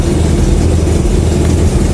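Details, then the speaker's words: Nissan 240SX KA24DE after adjustment, started in closed garage: low, uneven, lumpy idle right after startup, runs worse. "it runs worse still got the issue it doesn't need to be tuned more"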